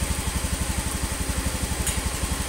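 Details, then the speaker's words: Honda Beat FI (Beat ESP New) scooter idling after piston replacement and crankcase cleaning, fixing oil vanishing within a week from stuck compression and oil rings: even steady putter about eight beats a second, no tapping, smooth healthy idle. "Ini sudah selesai dan akan saya bunyikan bagaimana suaranya. Sudah halus seperti motor pada umumnya. Ini suaranya sudah halus,"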